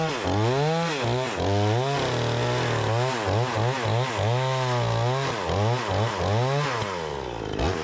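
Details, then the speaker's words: Repaired Remington 46cc two-stroke chainsaw with sharp chain cutting wood: strong wail sags briefly into each cut and snaps back crisply; pulls hard and responsive, healthy engine under cutting load. "what do you guys think we got a pretty good runner here P's nice and sharp got a huge pile of [Music] chips seems like it's running nice and strong and [Music] responsive"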